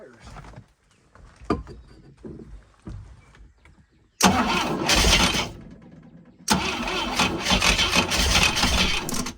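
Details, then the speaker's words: ASI boat engine not run in about 15 years, spark restored, ether in carburetor: quiet cranking clicks, then two sudden loud bursts that don't settle; fires only on starting fluid, no fuel from tank suspected. "okay so this is pretty cool it's actually trying to fire so we'll shoot it again and see if it'll fire again but i don't think it's getting any gas at this point from the actual gas tank"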